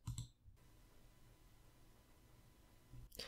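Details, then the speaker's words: Samson Meteor microphone noise floor: quiet room hiss with thin steady whine near one kilohertz between clicks, a mosquito-like buzz suspected from mic electronics, not confirmed. "some of users of Samson meteor mic have the problem of mosquito kind of noise it's really annoying just listen to it"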